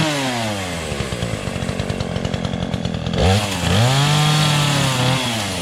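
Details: Remington Outlaw 20" two-stroke chainsaw, unused for over a year and started on year-old gas with choke: quick, even popping, then revs cleanly to a strong, steady buzz; runs fine.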